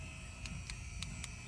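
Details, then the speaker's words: 2006 Toyota 4Runner, faulty front-left and rear-left door lock actuators, engine idling: about four sharp clicks in a second and a half as the lock pulls itself back, machine-gun-like; faulty door lock actuator. "I'm going to unlock it lock it again and it's going to pull itself back there you go and then for the back I'm going to do the same thing and sometime the customer says it sounds like a machine gun there you go"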